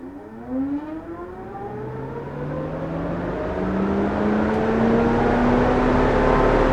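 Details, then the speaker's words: 2004 Mercedes C230 Kompressor (W203) with an SC530 scan tool activating the M4/7 engine and A/C electric suction fan: smooth whir climbing steadily in pitch as the fan spins up, no rubbing or rattle; normal cooling fan operation. "And there's the fan. It's telling us number 4. Turn that off. And now we know the fan is working."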